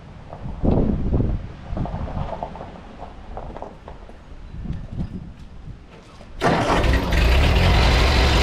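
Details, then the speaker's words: 1952 Ford 8N tractor, gravity-fed fuel, after replacing the carburetor to cure stalling at idle and under load, in neutral: after some clatter it catches and settles into a steady, even run with no stumbling; later ran 20 minutes without dying. "Just went and ran this for about 20 minutes out in the field. Didn't die on me one time, which the old car it absolutely would have."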